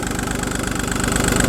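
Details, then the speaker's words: Audi A2 3-cylinder diesel started after sitting a week, with new cam belt and new auxiliary belt: loud rough idle with a steady evenly spaced chug and hard clatter on top; noisy, cause not clear. "new auxiliary belt i put that on let's turn this thing off because she's quite noisy"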